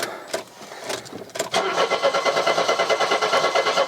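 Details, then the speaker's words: Mercedes W123 230E on restart after first run in about 16 years, warm from running: starter cranks steadily at about three beats per second after short tries but never catches; cranks, won't start, cause unknown. "you were running brilliantly what's going on here this is weird"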